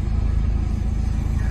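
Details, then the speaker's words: Wrecked 2010 Mercedes E550 V8, run briefly without coolant: low, lumpy, uneven idle; codes show misfires on cylinders 1, 4, 6 and 7; owner suspects water in the coils from the wreck, not confirmed. "okay so I pulled codes up looks like it's got cylinder one four six and seven misfire which are on the passenger side the front and rear and then the middle two on the driver's side"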